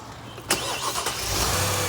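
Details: Mercedes GL 450 hot no-start: short crank, then engine catches and settles into fast idle after the ECM/DME is cooled with cold water (wet test); heat-sensitive engine control unit suspected, not confirmed.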